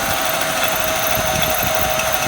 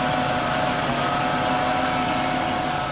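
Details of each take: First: 1996 Jaguar XJ6 idling after an oil change under a steady high metallic ring and hiss over a low rumble. The owner likens it to a bearing and says it stopped when the hissing stopped; the source is not pinned down. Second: 1996 Jaguar XJ6 inline six just after an oil change with Mobil 1. It idles steadily with a smooth low hum and a faint light tick, no misses or knocks, purring better than before. No leaks; spark plugs are still needed.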